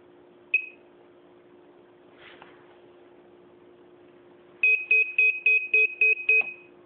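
Single chirp, then a quick run of about seven sharp high beeps at three or four per second; transmitter warning, cause unknown.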